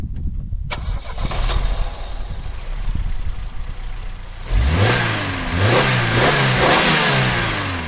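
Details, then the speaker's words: Vauxhall Cavalier GL, 1.8 litre SRi 130 top end, 45,000 miles, after refitting injectors and airbox: about four seconds cranking, fires, clean rev blips, settles with no missing or stuttering; misfire cured. "Right, that's the injectors fitted, everything's bolted back together. Let's see, maybe this time if it'll go without misfiring."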